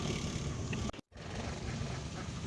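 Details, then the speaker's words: Motorcycle just after fitting an SGP platinum-type stick-on CDI: engine runs rough with a low, uneven thrum and vibration; owner suspects ignition timing is off and the CDI needs further adjustment, and throttle response is weak. "Ini sudah hidup tapi kayaknya agak kurang nyaman ini, agak bergetar ini, kayaknya kurang tepat timingnya, pengapiannya kurang tepat."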